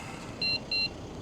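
Two short high-pitched beeps about a third of a second apart over quiet outdoor background; the bike's motion alarm chirping.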